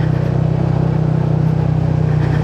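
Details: Yamaha NMAX with a 4S1M Street Core V3 exhaust pipe: a steady idle with a buzzy, tinny rattle on each exhaust beat. The muffler is short on fiber-wool packing, causing the rattle and vibration.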